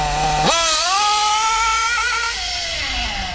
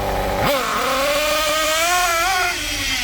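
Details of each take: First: Kyosho MP9 nitro buggy, standard engine after tuning: standing start, throttle punched to full, sharp pitch jump then clean smooth high scream easing off gradually; running like a dream. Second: Kyosho MP9 nitro buggy, standard engine a bit worn: throttle punched from idle, sharp snap into a high buzzing rev that wavers and stutters slightly; a bit rich on pickup, low-speed needle could use slight richening.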